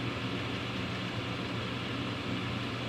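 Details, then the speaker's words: Home furnace draft inducer after replacement with a new unit (the old one made a loud hum): a smooth, even whir with a steady low hum and no rattle or scraping; the inducer runs normally. "there's the wheel why it is a baby's ass oh yes then neither is going to starlight now this is the way it's supposed to sound"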